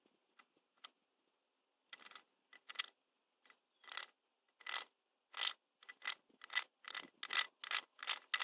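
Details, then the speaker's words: Honda Jazz/Fit gearbox on the bench, turned slowly by hand. Ratcheting clatter comes in uneven bursts, rough and gritty as the gears mesh; the differential and reverse gear are worn, the reverse gear ground down on both sides. "reverse gear here, which as you can see is ground down on one side. Well, both sides actually."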